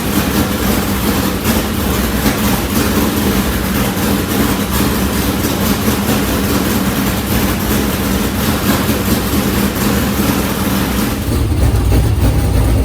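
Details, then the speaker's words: New MB Custom race car being readied for the season, warmed up during an oil change, with different Speedworks headers: deep, lumpy V8 rumble at a steady fast idle, even firing, no knocks or ticks; sounds healthy. "this thing sounds good it's got a completely different sound too i'm telling you it is bad to the bone"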